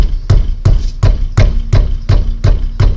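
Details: Peugeot 307 front end struck by hand: hollow knocks about three a second that feel like the front coming apart on cobblestone roads; loose brake caliper guide pin clacking in its bore.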